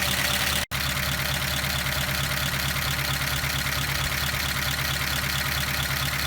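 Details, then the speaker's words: 1953 Pontiac Chieftain eight-cylinder at idle: steady, even beat with some hiss on top and no stumble or miss; fuel pump and carburetor delivery are working and it seems to fire on all 8 cylinders; normal idle. "Since it keeps running, that indicates that fuel delivery is working, that the fuel pump is working and delivers the fuel to the carburetor. It seems that it's actually firing on all cylinders, but we will verify that."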